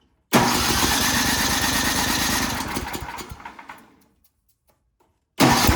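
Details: Ariens snowblower sat years in barn, after fitting a temporary fuel line: small engine fires straight up, runs steady and even a few seconds, then winds down and stops; runs like a champ, normal.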